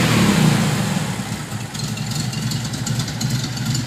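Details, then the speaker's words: 1972 VW Fastback with a fuel-injection issue, cold, smoke; revs then settles into an uneven lumpy idle with unsteady beats; rough running that improves as it warms, cause not confirmed. "See, I can't even keep it running long enough for me to, well, heck. Well, see, it's not even, doesn't want to idle."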